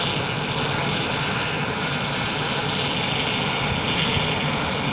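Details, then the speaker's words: Ford Transit Connect just after engine install, idling while steering wheel is turned lock to lock: loud steady high hiss-whine from a power steering pump with air not yet bled out. "I also need to get the power steering system bled out, so that's why you kind of hear that going like that."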